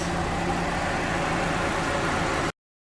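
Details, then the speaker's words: Condenser fan newly replaced (passenger side) on a 2006 Acura TSX, engine idling: even idle and steady rush of fan air, no scraping or rattle; the new fan spins normally. "Yep. Fan came on. Start it up."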